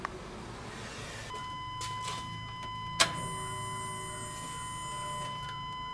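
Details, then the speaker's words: 1998 Chevrolet 1500 5.7 V8, 82,000 miles, idling: steady high multi-tone whine over quiet idle; running without the belt showed the alternator, not accessories or idler pulleys, makes the noise. "I'm going to start it up without the belt on it see how much of that noise is coming from accessories and idler pulleys Oh just like I thought that was the alternator making all that noise"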